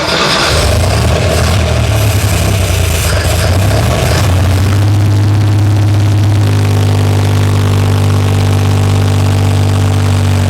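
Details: 1963 Jeep CJ5, long disassembled, started with accelerator pump squirts, little coolant: engine struggles and surges unevenly, kept alive only on throttle, settles rough and won't idle.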